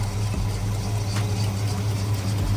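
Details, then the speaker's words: Oldsmobile Cutlass 442 V8 at a shop visit: deep, slow, lumpy rough idle sitting too low, started about 6 months ago; also sputters on initial acceleration and has an exhaust manifold leak; owner suspects a vacuum line. "it'sing a little low definitely Island rough and it it wasn't Island like that before it just started doing that maybe like 6 months ago"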